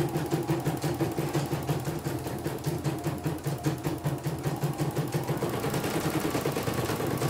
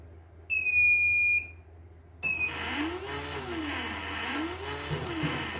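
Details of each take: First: CNY E900 embroidery machine, cleaned and set up, test-stitching; steady rhythmic clatter about three stitches a second, even and unbroken until it stops; good result, no problems: normal running. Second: CNY E900 embroidery machine powering up with a part come loose and the needle slightly out of position; shrill one-second beep, another chirp and motor whirring, then an error: startup error buzzer.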